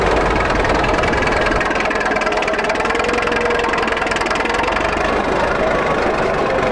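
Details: 1941 Caterpillar dozer that sat for years, started via pony motor: steady, even diesel idle with dense clatter and no misses or surging. Pushing the lever forward shuts it down, so it only idles. Normal idle.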